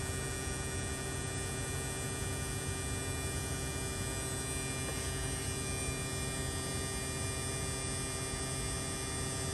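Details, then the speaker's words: Mid-2018 Tesla Model 3 after AC compressor replacement, AC on max while recharging with R134a liquid: steady even electric hum with fine whine, no knocks or rattles; compressor running smoothly. "now the compressor just turned on you hear that now we're going to slow it down we're in no hurry and since we're putting liquid in we don't want to bind up the compressor"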